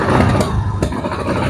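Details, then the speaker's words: Suzuki Spin 125 with severe stumble after carburetor service: uneven, stumbling note breaking up when revved, becoming normal once ground wire reconnected; disconnected ground wire was main cause of misfire. "Nah itu motor langsung normal nah ini Inilah penyebab utamanya motor mengalami merebet yang parah seperti tadi"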